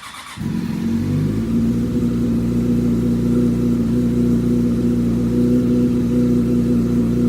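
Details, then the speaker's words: 2005 Yamaha R6 (YZF600) project bike: it catches and holds a smooth, even high-revving hum with no knock. It sounded terrible minutes earlier, and the owner wonders if something is loose; it is still blowing oil smoke. "but now it's sounding good I wonder if there's just something loose somewhere"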